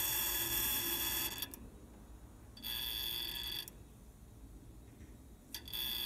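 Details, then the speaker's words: Trane heat pump outdoor unit just after compressor shutoff: bursts of rapid high-pitched chattering ticks lasting 20-30 seconds. Owner traces it to the check valve in the TXV bypass liquid line and suspects refrigerant backflow makes the ball chatter; thought harmless. "okay just shut the unit off and you can hear that noise so that's the check valve apparently refrigerant is kind of coming back causing this check valve to vibrate"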